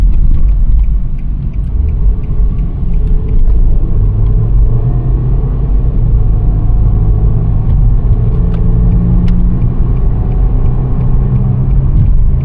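A steady low hum rides over the road rumble at constant speed while driving; the source of the drone isn't clear from sound alone.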